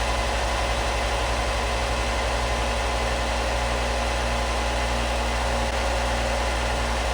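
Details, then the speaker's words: Harbor Freight Bauer belt sander, plug-in run: smooth, even motor hum with steady low drone, no knocks, rubbing or belt slap; motor sounds good, running freely as it should. "Motor sounds good. That's one of the things somebody wrote, that the belt stayed on this pretty well."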